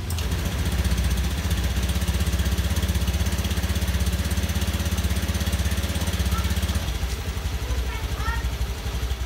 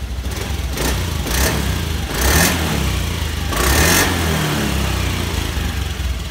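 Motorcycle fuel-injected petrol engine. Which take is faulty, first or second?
first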